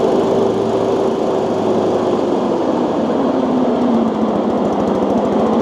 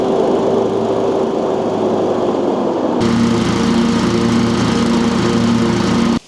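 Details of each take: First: Exmark Metro 36 mower, roughly 20 years old, throttled down to about half with blades engaged: loud, rough whirring rattle from worn blade spindle bearings, heard before replacing the spindle assembly. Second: Exmark Metro 36, about 20 years old, with a new spindle and fresh spindle bearings: a steady, high-pitched deck drone with no grinding or squeal. The deck is quiet, though the muffler and rear still rattle.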